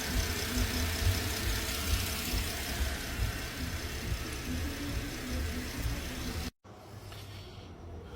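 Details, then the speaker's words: 2013 Porsche Panamera at a steady, even low-rumble idle with no knocks or ticks, after a timing chain kit replacement for P0016 chain stretch; shut off after idling about an hour, with no oil leaks and no check engine light. "just shut it off it's been idling for about an hour no oil leaks everything's good no check engine light"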